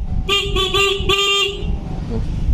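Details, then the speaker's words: Yamaha Vixion motorcycle, electrics dead: horn bleats on and off in short bursts as fuse is wiggled, relay clicking when contact connects; cause is a loose fuse holder. "Kalau connect dia bunyi di bagian relaynya nih. Tuh. Intinya kendor di bagian sikring jadi tuh."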